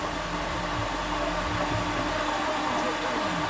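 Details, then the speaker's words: Flood-damaged 2018 Jaguar F-Type SVR, 5.0 supercharged, with the starter fuse bridged and all spark plugs out. A steady, fast whirring crank with no clicks or compression beats; the engine turns over freely and sounds okay. "oh oh that's really interesting it just turns over I've been covered with look it sounds all [Applause] right didn't it that sounds okay"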